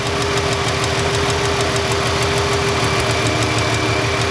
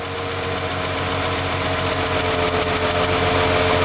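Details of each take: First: Ford Freestyle 3.0 V6 idling with a cylinder 1 misfire and no codes: sharp light ticks about three per second as the coil arcs internally or inside the boot; weak spark, no air-gap jump. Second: Ford Freestyle 3.0 V6 with cylinder 1 misfire, no codes, idling: sharp, even spark snaps several times a second as a new ignition coil jumps a large air gap, unlike the weak arcing old coil.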